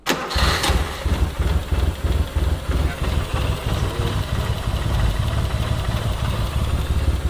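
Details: Suzuki Cappuccino, not running before; fuel regulator vacuum source found missing and reconnected: quick crank, catches and settles into an even, slightly lumpy idle without misses; starting and idling normally.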